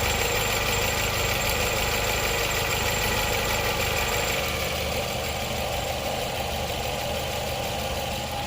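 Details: 2019 Nissan Pathfinder 3.5L V6 idling with code P0101, fuel trim still adding 30% after PCV check, before intake smoke test; steady but slightly uneven idle with faint stumble; rough idle from contaminated MAF sensor.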